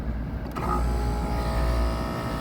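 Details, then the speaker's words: Carrier commercial AC unit that wasn't cooling, after fixing the disconnect fault: compressor and blower motor cut on, steady low hum coming up to speed, smooth and even with no grinding or rattle; healthy run. "Nothing ain't blow up. Compressor cut on. Compressor cut on. Blower motor cut on."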